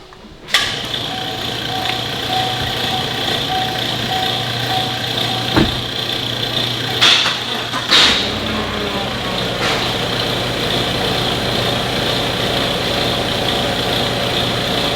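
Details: Chevrolet Cheyenne truck driven after a loose mounting bolt was found and tightened (earlier suspected wheel bearing, drivetrain bouncing); even hum, no knocking or rattle, only brief handling bumps; noise gone: normal drivetrain running.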